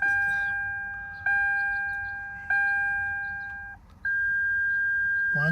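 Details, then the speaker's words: Toyota Land Cruiser 100 Series (LX470) with ABS light on and suspected brake booster failure; ignition on, engine not cranked, TC and E1 jumped: three even beeps, pause, one beep, ABS code 31. "we're going to count the ABS light how many times it beeps or flashes"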